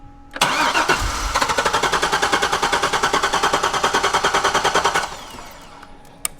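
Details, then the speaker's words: Wrecked C6 Corvette Z06, sat at shop unstarted: steady fast cranking, about seven strokes a second, no firing; fuel pump audible but no fuel pressure even when primed, only residual in rail; suspected smashed or pinched fuel line. "Yeah, I wonder if it, like, because you can hear the pump, like you can hear the fuel pump, but it's just not doing anything. You know? Could be like a smash line or something."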